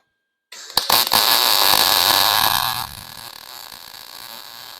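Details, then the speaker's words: Lincoln 140 Pro MIG, 110 V, after blowing out the liner and turning wire speed up slightly: about two seconds of steady, even crackle like frying bacon, no pops; healthy MIG arc with good wire feed. "sounded good you could hear it it sort of like sounded like fried bacon"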